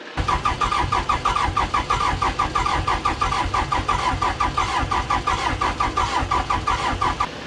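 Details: Case 450B dozer abandoned 15 years, just-rebuilt Roosa Master DB2 injection pump, injector lines partly bled: slow, even cranking at roughly three compressions a second with no firing; air in the diesel fuel system keeps it from starting.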